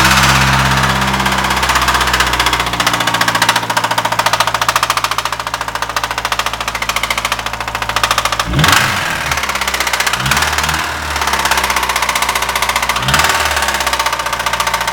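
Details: DA9 (per caption) petrol engine running with music nearby: steady knock about three to four taps a second; owner unsure if pistons, valves or rings, cause not confirmed.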